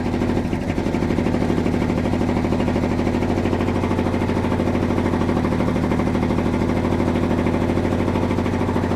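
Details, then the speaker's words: 1971 Dodge Sweptline big-block V8 after cylinders hydrolocked with fuel from carburetor flooding, idling with good oil pressure: skipping beat, running on about 7 cylinders; firing order verified, plugs fuel fouled, fuel out the exhaust, cleaning up. "There, now she's cleaning up. Still got a miss. I think we got hitting on about 7 now. Man, she just drowned in fuel."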